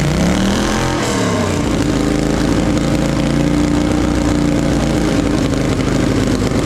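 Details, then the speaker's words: Polaris Sportsman 850 XP quad, hard-worked bull catcher sat for a couple of years, parked up for pumping oil at the engine breather; first start on jump pack, old fuel: loud harsh running climbing in pitch, then an unsteady ragged note, misfiring and shooting flames; owner suspects old fuel. "it's running really rough it's shooting flames out the exhaust and sort of misfiring and stuff so it's probably got really old fuel in it as well"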